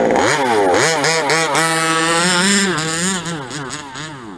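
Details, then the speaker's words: 5th-scale King Motors RTR truggy two-stroke, low on fuel: quick throttle blips with pitch sagging and stumbling before climbing; hesitation and bogging, which the owner attributes to low fuel, unconfirmed. "see it's i don't like that hesitation whoa see you hear it doing that bogging it's it's a little it's low on fuel but like i said it's doing that because of that"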